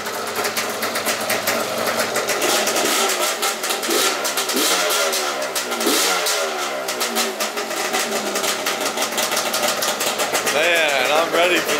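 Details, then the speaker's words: Yamaha Zuma bugeye with Polini 70cc kit, started ice cold with no choke: crisp buzzy two-stroke picks up cleanly on each blip and settles without bogging; running very well. "no chokes baby this is seriously this bike is running so good right now"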